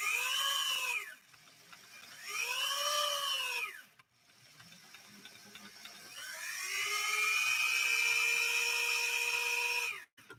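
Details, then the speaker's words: Machine: short bursts of a high whining squeal sweeping up and down with a hiss from a belt slipping inside below the cleated belts, giving a warm smell; mic at a distance. "Can all of you hear that on I know the microphone is a distance away from the machine, but can you hear that squealing, slipping sound? I'm hoping you can."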